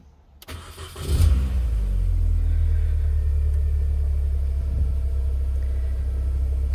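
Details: 2001 Mini R50, petrol, after fuel pump and fuel filter housing replacement, fuel gauge low: quiet, then the engine cranks, catches at about one second and settles into a smooth, steady idle with no misses.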